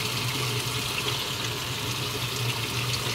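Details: Panasonic automatic washing machine after repair of a no-water-inlet fault, test fill at low water level: steady hiss and splash of water running in at an even rate, with no chatter or surging; the inlet valve is filling normally.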